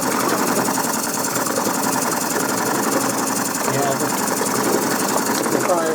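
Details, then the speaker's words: Coal-fired model steam puffer boat running hard after its faulty reversing valve was bypassed: a fast mechanical rattle over the steam hiss that appears only at higher speed; owner suspects too much play in the prop shaft. "It's rattling a bit when it gets a bit fast, but I think I've allowed too much play in the prop shaft."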